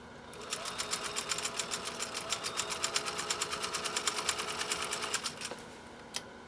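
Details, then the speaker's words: Restored 1930s GE Model A sewing machine, with rubber added against the metal pulley, sewing a satin stitch: light, even ticking at about eight per second over a quiet hum, with no knocks or drag. It runs silky smooth. "It just runs silky, silky smooth now."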